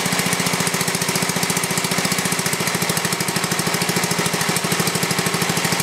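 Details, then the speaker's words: Briggs & Stratton 11 hp flathead (model 25), first run in a year after cold night, carburetor set richer: steady even strong firing, no knock; runs well, burns a little. "couldn't get a good connection there that's a pretty good run engine there uh like I said it's the first time I ran it for a while"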